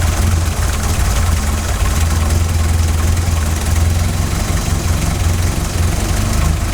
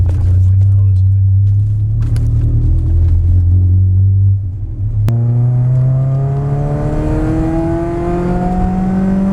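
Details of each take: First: 16-valve Mk2 Golf GTI, idle screw set to 950 rpm, CO mixture at 0.7% versus 2% spec after failing MOT emissions: deep low idle pulsing unevenly and hunting, engine visibly rocking; lumpy wandering lean idle before CO adjustment. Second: Warm 16V MK2 Golf GTI revving after CO mixture was raised from 0.7% to about 2%; strong low note dips then climbs smoothly without stumbling, where before it faltered near 5,000 revs; engine sounds healthy.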